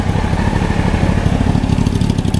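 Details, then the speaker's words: 1993 Honda CBR900RR, out of museum storage, aftermarket exhaust, jetting dyno-tuned after running slightly rich: steady low burble at idle with even firing pulses and some clatter, no misses or knocks; healthy idle. "he actually had it just a little bit too rich and so it's running perfect now"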